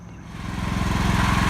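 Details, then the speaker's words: John Deere L110 automatic lawn tractor with a Kohler single, run after sitting five years, with a full carburetor clean and tank flush, jump-started from a truck: it picks up into a steady, even putter and keeps running cleanly. Normal running. "she is all running so you can hear me but I needed more power from the trucks that are jumped up"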